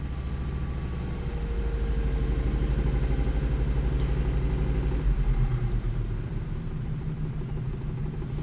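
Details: Volvo XC70 idling during a bi-directional test of newly installed OEM VVT control solenoids, which had set an exhaust camshaft code: steady, even idle with smooth low rumble and regular firing, no knocks, ticks or hunting; zero degrees deviation, healthy.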